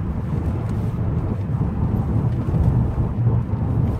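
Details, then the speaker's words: 2003 Jaguar XJR test drive after replacing front sway bar end links; low steady road rumble over bumps with no rattles or clunks from the front end, much better than before; owner suspects slight play in a rear shock bushing. "and then when you're done you drive it down the road you look for bumps you listen for any rattles"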